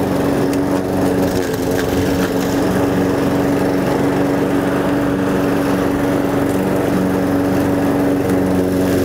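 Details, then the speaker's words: Toro Personal Pace self-propelled gas lawn mower, drive belt had squealed and drive quit because a small piece of wood was caught; wood removed, belt undamaged. After the fix the engine holds a steady, even drone with no belt squeal, drive belt running quietly. "so I'm going to start it up and listen for squealing but I don't think there will be any because that small piece of wood is gone"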